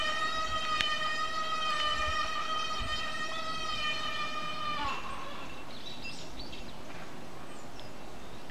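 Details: A loud, steady high-pitched brake squeal holds for about five seconds, then cuts off sharply; the brakes squeal continuously.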